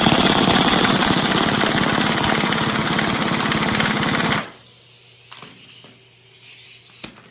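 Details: Rebuilt 40 hp air-cooled VW flat-four from a 1962 Type 2 bus that sat over 40 years, first run after restoration: loud, crisp, evenly paced chatter running steadily, then cut off cleanly; normal, healthy idle.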